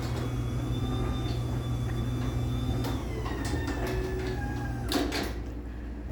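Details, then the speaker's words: LiftMaster 84505R belt-drive T-rail garage door opener with new-style sensors: steady motor hum, faint rising whine and light rattles as the door travels; healthy run, though a good bit louder than the first-gen 8550. "so it's definitely a good bit louder than that first gen 8550 was"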